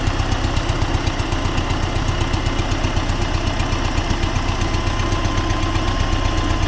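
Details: T-40AM tractor diesel idling in about -14°C after a month standing, during the test of the differential lock; regular knock about four per second over the low rumble, engine knock, cause suspected but not confirmed.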